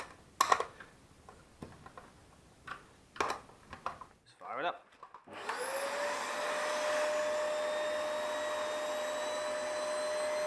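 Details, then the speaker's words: Dyson DC05 turbine floor head after teardown and clean, reassembled with metal bearing: handling clicks then motor spins up to steady even clean whine; working a beauty. Normal running. "Working a beauty. Sorted."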